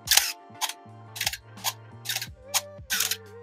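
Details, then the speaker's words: Canon AE-1 35mm SLR film camera; six crisp shutter clacks with a faint thin squeal trailing some releases, the known Canon squeal from worn internal shutter workings. "problems then that can arise from owning a Canon ae1 or an A1 the dreaded Canon camera squeal if you've never heard the squeal this is what it sounds like"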